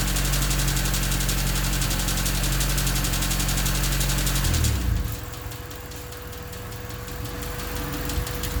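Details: Honda D16Y8 with an idle problem and new header: fast, even ticking at about four per second over a rough idle that speeds up with throttle; the stethoscope places it in the head around cylinders 1 and 2, suspected valves rather than rod knock; engine top-end ticking.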